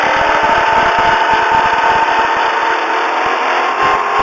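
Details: 1999 Volvo S80 2.9L engine makes a weird thin whistling noise over the drone at about 1500–2000 rpm, gone above 2000 rpm; source unclear.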